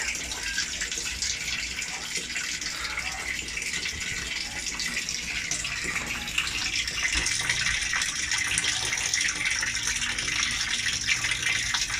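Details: LG automatic washer after a repair, where water had kept filling and draining out, set to a very low water level: steady, even rush of water with no knocking or pump strain. The machine now fills and holds water normally.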